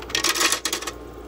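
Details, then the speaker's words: Frigidaire EFIC117-SS ice maker after repair attempt and bleach cleaning, set to large cubes: quick clatter of small hard cubes tumbling into bin, then quiet; normal harvest dump, cubes seem smaller than expected. "Oh, it's done. I don't think those are large ice cubes, but..."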